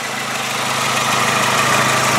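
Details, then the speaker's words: 2001 VW Jetta GLS Wagon, 2.0-litre non-turbo engine: even steady hum building slightly, no top-end ticking or bottom-end knock; clean, healthy-running engine. "you can hear there's no valve training noise in this there's no High Rev knock beautiful car"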